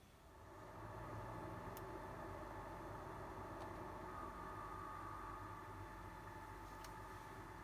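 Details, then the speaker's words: PlayStation 5 after closing a game back to the menu: thin steady high-pitched coil whine overrunning above the fan spinning down, with a few controller clicks; console was returned under warranty; coil whine persisting after closing a game. "Overrun noise, it just it obviously isn't right. All you should hear is the fan spinning, like spinning down. You shouldn't get a coil whine noise overrunning."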